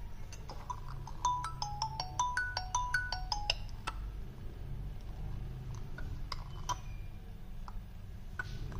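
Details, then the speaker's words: Redmi 8 phone, ringtone played through the ringer speaker: melody with gritty crackles, sudden slowing and dropouts over the notes; the loudspeaker is distorting, repair to follow. "देखिए देखिए किस प्रकार से इसका जो है sound गर गिरा रहा है और साउंड में आवाज सही नहीं आ रही है"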